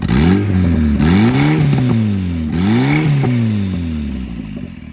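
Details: Junkyard Honda K24A4 engine in a Chevy swap, which had been blowing coolant from the overflow, revving with a harsh, uneven metallic clatter; sounds like a badly damaged bottom end, not confirmed.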